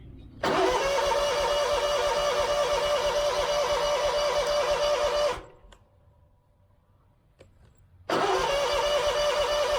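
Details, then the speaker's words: Scag mower with Kawasaki FX691V after carburetor replacement, about 12 years old: starter cranks about five seconds, pause, more cranking, never catches; no-start because tank was out of gas despite gauge reading. "Ain't got no gas in it."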